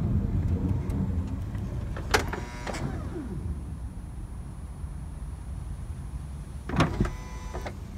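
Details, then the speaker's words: 2006 Honda Odyssey driver-side power sliding door: motor whirs and clunks shut, pulls the door too far in, strains for a few seconds, then releases; the door-open alarm then beeps continuously though the door is closed. "it's pulling the door shut just reverse it here it pulls it too far in strains and releases one more time without me talking over it"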